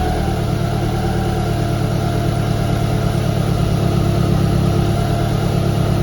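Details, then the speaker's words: Evo 1 16v petrol engine idling after the overtight cambelt was slackened: smooth even low hum with no whine or flutter from the timing belt, sounds happier than before. "well I guess you were right that does sound happier"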